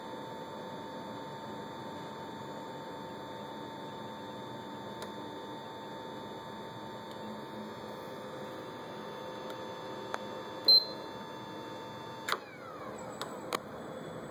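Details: PS3 console making a faint high steady whine over a quiet hum with occasional sharp ticks and a brief chirp; sometimes fails to load or warns system files may be corrupt, works after scan but always makes this noise; abnormal running noise.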